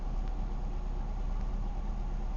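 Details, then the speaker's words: 2000 Chevy Malibu 3.1 V6 just started after replacing the fuel pressure regulator (was hard starting, loping and dying at idle): steady, even low rumble around 1,000 rpm while still warming, expected to drop to about 800; normal idle. "it's hitting right around the thousand rpm range once it warms up it'll drop down to about eight hundred which for this three point one is about where it idles"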